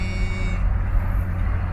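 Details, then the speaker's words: 2001 Chevrolet Suburban V8 before tune-up with new spark plugs and wires: deep, lumpy idle with uneven pulse and occasional stumbles, check engine light on; misfire, cause suspected, not confirmed. "there it is that's all i wanted to show y'all misfire baby"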